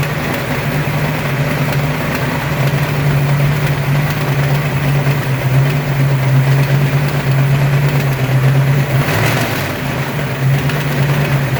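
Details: Ford 302 5.0 V8, never run before, with a loud steady low drone and a rough, busy internal mechanical undertone. The noise persists with belts off and doesn't change when each plug wire is pulled. Owner suspects piston slap, a broken wrist pin, the timing chain or the torque converter area. Unidentified.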